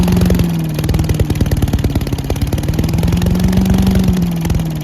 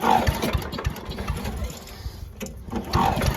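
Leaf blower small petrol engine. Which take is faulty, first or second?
second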